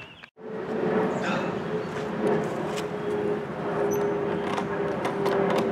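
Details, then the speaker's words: Craftsman M260 lawn mower just after the starter rope was replaced. It starts easily and settles into an even, steady drone without stumbling; the engine runs fine. "well that starts easy we got a new string new starter rope love it that's how you do it"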